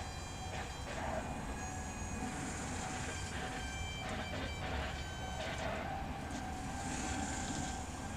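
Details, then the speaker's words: 2016 GMC Canyon 2.8L Duramax diesel after fuel filter change and backing off a dripping fitting, key on, engine off: thin, steady high whine over a quiet background as the pump primes the filters normally. "so i'm going to do that and we'll try to prime the pump again yeah you can hear it whining"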